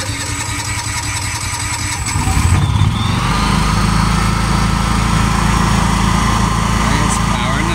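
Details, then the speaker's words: New Honda EU7000is inverter generator on its first start-up and break-in run; catches after a couple of seconds of cranking, then settles into a steady, even drone with no knocks or surging. "My new Honda generator. This is going to be its maiden test. Its first startup."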